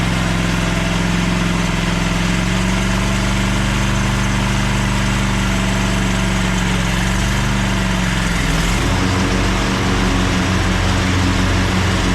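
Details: Craftsman push lawn mower started on choke after a split, loose part was replaced: a steady single-cylinder buzz that settles to a slightly lower, even beat after eight seconds, running properly.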